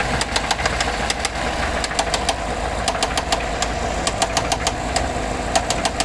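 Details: 2014 GMC Sierra 6.2 V8 with 100k miles, after a rear-end collision that hit the exhaust; it later shut off at 45 mph. White smoke, oil pressure steady at 40 psi. Sharp, uneven knocks at idle; spun bearing suspected.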